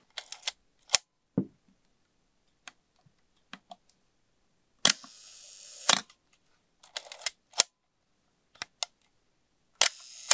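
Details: Asahi Pentax Spotmatic SP M42 film camera, serial 2483987, shutter test: crisp, clean single shutter snaps repeatedly without drag or hesitation; shutter sounds good and working.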